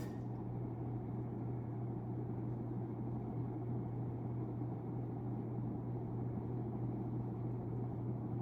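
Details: 1991 unknown-brand 42-inch hugger ceiling fan, model HC42 (60 W, 0.5 A), running on medium drawing 39 W and 0.32 A, about 3,458 CFM: smooth, even low hum with faint airy rush, no ticks or rubbing; healthy normal running.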